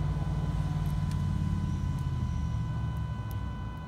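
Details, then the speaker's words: 2011 Ford F250 Powerstroke, AirDog II lift pump that would not prime, with a suspected bad relay. On direct 12 V it gives a steady low electric hum with a thin constant whine. The pump runs evenly and works, so the relay is implicated. "let's see I did hear it spin so let's try it again"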